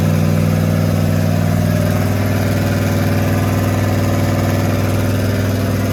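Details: Rat rod small-block Chevy 350 V8 with a newly installed turbo cam, held at fast idle around cam break-in: steady, even run with a firm low note and slight regular lope, no ticks or knocks; normal running.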